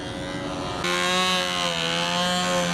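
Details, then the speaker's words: New glow engine on a control-line model being ground run for about five minutes before flying; steady high-pitched buzz at constant high revs with no misses or surging, running clean. "we always like the ground run a new engine just in case well they had it running for about five minutes here"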